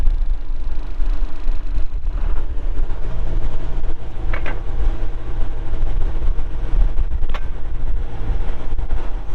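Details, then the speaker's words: 1997 John Deere 310E backhoe, 2,280 hours, started with engine cover closed: deep, steady diesel rumble holding even speed without misses or knocks; normal engine running. "cranks up and runs [Music] good"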